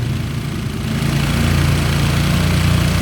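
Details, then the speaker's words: Honda Karisma motorcycle after setting the idle screw to highest rpm, then lowering the throttle: idle climbs and holds a steadier beat of about three firings a second, running smoothly. "Nah ini tinggal dikecilin dulu gasnya guys Oke bisa langsam kembali ya"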